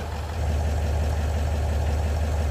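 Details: L322 Range Rover 4.4 TDV8 just started after reconnecting a detached intercooler-to-plenum inlet hose: steady, even diesel idle with a smooth low rumble, no misses or hunting and no smoke; normal idle, the air leak fixed.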